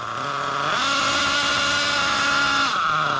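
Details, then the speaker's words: Losi LST XXL nitro truck, low-speed needle turned a quarter turn out, not yet fully warm: high buzzing idle with fairly steady tone and slight waver; mixture now sounds clean. "we quarter of a turnout on the low okay that's sounding good okay good okay that's a lot lot better than where we"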